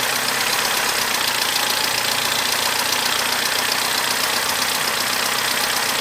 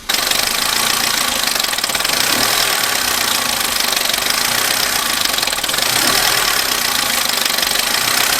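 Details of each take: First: Abandoned Corsa after repairs: a steady, even idle with no knocks or misses, sounding much better than before, and the dash warning light is now off; it ran a little rough right at first start. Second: Abandoned Vauxhall Corsa, just started first time on a new battery, one warning light on dash: rough idle with fast uneven ticking, extremely tappy and noisy; owner thinks it may just need a service.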